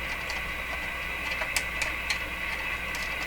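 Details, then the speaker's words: Viking Model 54-51 radio during voltage checks: irregular sharp crackles and pops over a steady whistle-like tone, several a second; owner suspects failures inside the IF transformer cans, possibly not silver mica disease; cause unconfirmed. "so one of the concerns with that kind of crashing sound not quite right but there could be failures inside the if' transfer"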